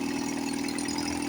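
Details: 1954 Johnson 5.5HP two-stroke outboard, revived after about 60 years with magneto reinstalled and carburetor rebuilt; low-speed mixture freshly adjusted. Smooth, even idle buzz with steady tone, no misses or surging, and the motor sounds really good: normal idle.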